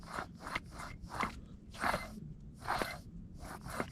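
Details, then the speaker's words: Duramax GM truck passenger-side front wheel hub, removed and rotated by hand: gritty crunching and scraping, with no play. The customer complained of front-end groaning; a failed seal likely let salt into the bearing. "yeah that's horrible i mean you can only imagine what kind of noise that makes"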